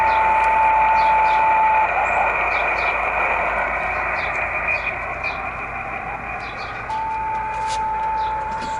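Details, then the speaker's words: Yaesu FT-817 radio with SARCTRAC Mk2 satellite antenna rotator controller/tracker picking up a satellite beacon: a steady single tone rides over radio hiss, fades, then returns clearly; satellite beacon received. "There it is. There's a beacon. It's picking it up."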